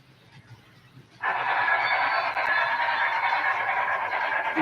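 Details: Model train test run after fitting new wheels to the cars, hoping to stop squeaking: a smooth, even rolling hiss builds as the cars get moving, with no squeal riding over it; the new wheels run quiet.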